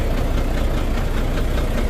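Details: Volvo D13 diesel truck idling with an uneven, knocking, stumbling beat: a misfire with low power from damaged fuel injectors; injectors 5 and 6 found badly worn.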